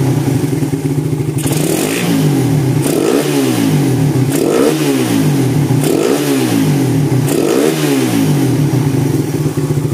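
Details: 2014 Suzuki Satria FU FL, after rebuild of a failed bore-up that had a seized kick starter: repeated quick throttle blips, pitch rising and falling cleanly with no rattle; engine revs freely and responds well.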